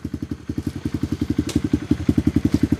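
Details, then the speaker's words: Tao Tao Coleman 125 ATV just started without the choke after sitting for months, on a new 28mm exhaust pipe and silencer, with the idle possibly high. Quick, even putt-putt exhaust beat at a steady idle, a bit throaty, with no misses or rattles; a healthy idle. "So that pipe sounds pretty good. It's got a little throat to it. Once it warms up. Yeah, it sounds pretty good."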